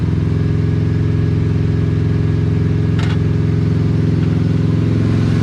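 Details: 1980 Chevrolet Cutlass V8 scrapyard car, possibly sitting since 2018: steady churning about three beats per second, never catches or runs up, only sputters; suspected fuel pump not working or bad old gas, unconfirmed.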